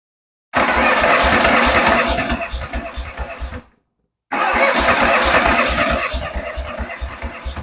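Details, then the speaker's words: Yamaha XS650 chopper first start after new wiring harness, points and ignition timing: short runs catch and stumble with uneven low pulses then die; rough running, owner suspects timing still off and valve jet unadjusted. "timing still got to be way off oh you know what I mean think about this I haven't even adjusted the uh valve jet that's definitely gonna need an adjustment"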